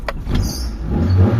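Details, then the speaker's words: Mitsubishi Lancer 4G13 carbureted engine, before repair: catches on the starter but needs throttle blips to stay running, revs sag between blips and it dies. Stalling at idle; carb and vacuum hoses to be checked. "Yan ayan mga bossing. Ayan namatay mga boss. So yun 'yung problema nila sir kaya gustong-gusto nilang dalhin dito sa atin para mawala na yung problema nila."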